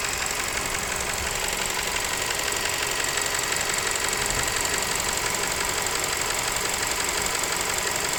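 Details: Nissan Serena C27 MR20DD engine: light, regular knock about three per second over steady engine hiss; abnormal engine knock, cause not yet identified.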